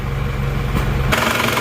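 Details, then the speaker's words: Isuzu Panther diesel from Wonogiri, an older year, freshly rebuilt without new pistons, started in the morning: even, low idle with a steady beat, quiet and smooth with no knock; the reference for comparing a rough-sounding Panther. "malah jauh lebih halus ini ya lihat walaupun tahun tua suaranya malah lebih senyap dan goyangan mesinnya pun juga rata"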